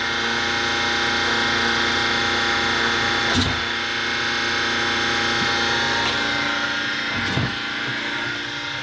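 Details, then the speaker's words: Spectra Newport 400C watermaker on a Leopard 45 catamaran, running after bubbles were pushed out of the line: steady, even pump whine with constant hum and a couple of brief clicks; normal running. "so little pump is running and it actually pushed out all the all the bubbles there's no bubbles there's absolutely no bubbles so this is cool and it's running"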